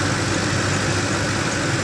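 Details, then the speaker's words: Ford F-150 cold idle, rpm dropping from about 1000 to about 900; owner suspects thicker 10W-30 oil and says noise appears and idle quality drops once warm. Even, steady low rumble with no knock or tick. Normal cold idle. "the motor sounds really good guys when it's cold"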